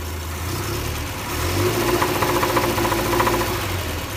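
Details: 1975 Triumph Spitfire petrol engine at idle: rapid, somewhat uneven knocking tapping over the running note; engine knock.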